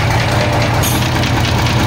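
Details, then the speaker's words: Diesel engine idling after new injectors were fitted and engine oil was poured in to clean carbon off the pistons: steady, soft, even idle with a regular low beat, no stumbles or misses; runs smooth. "แต่เสียงนิ่มมากครับเสียงเอ่อไม่ๆไม่สะดุดแล้วนะครับ"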